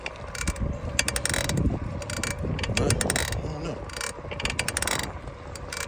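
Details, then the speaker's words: Specialized Sirrus X4.0 bicycle: uneven sharp clicks and gritty ticking through each pedal stroke; shop suggested pedal, then chain (new chain coming), owner suspects the crank; bearings said to be fine. "Got a chain coming tomorrow. I don't think it's a chain, I think it's a crank."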